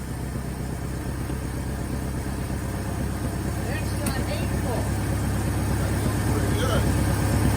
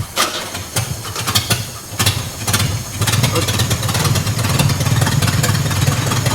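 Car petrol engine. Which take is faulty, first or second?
second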